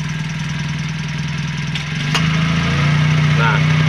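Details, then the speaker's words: Toyota Calya being checked because AC suddenly stopped cooling, at idle: slight load dip then a new steady low hum as the AC switch is turned on and the compressor clutch engages, compressor turning properly. "Untuk saklar pada saat kita on dia akan berputar di bagian clutch setnya. AC."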